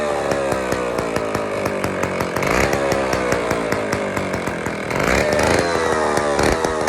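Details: IEL Pioneer HM chainsaw, old two-stroke, first run after fuel-system priming: loud raspy buzz whose speed wavers and surges unevenly; runs, but carburetor needs fine tuning.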